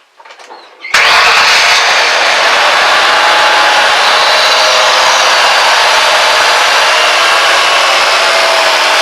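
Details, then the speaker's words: 2004 Ford Taurus after replacing leaking fuel injector O-rings, plug wires and spark plugs: it catches within a second and holds a smooth, even idle with no misfire, and the fuel smell on start-up is gone. "It sounds really good. No misting. Smooth as butter on a hot summer day."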